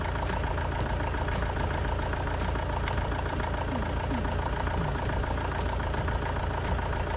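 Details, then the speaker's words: Astra van diesel after an engine change from a boiled engine, first start once fuel came through: steady idle clatter, smooth apart from an occasional faint stumble, possible slight low-rev misfire from injectors; normal diesel idle. "well that seems quite successful took a little bit of time to get the diesel to come through again that's to be expected after everything's been disconnected sounds like it runs quite sweet"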